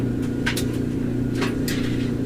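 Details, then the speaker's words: Frigidaire/Electrolux stackable washer-dryer (model GLET1031CAS0), after fixing a loud squeal with a maintenance kit and reseating the drum: steady low hum and even rumble from the tumbling drum, squeal much improved; normal dryer operation. "so time to test out the work here and see if that horrible squeal has left us for good moment of truth there we go definitely an improvement over the way it was beginning of the project"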